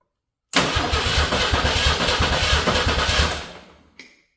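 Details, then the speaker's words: Old Ford 300 inline-6 truck engine after new pushrod and fuel pump install: about three seconds of rhythmic starter cranking with no catch, then stops; no spark from unconnected ignition wires. "Spark. Why do I have no spark? Guys, I'm not going to have a spark if he doesn't hook up all the wires."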